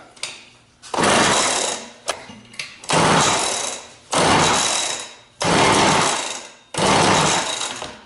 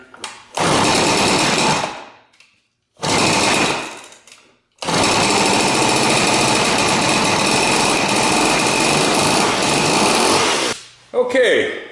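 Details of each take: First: Rebuilt McCulloch 6-10 chainsaw, with points adjusted, spark confirmed and carburetor set, on a first start with a dab of fuel in the cylinder and choke on: short ragged one-second bursts that fade as it sputters without catching. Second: Rebuilt McCulloch 6-10 chainsaw, with points adjusted and carburetor set, started on choke with a dab of fuel in the cylinder: two short buzzing bursts die off, then a sustained high two-stroke snarl for about six seconds. It catches and runs.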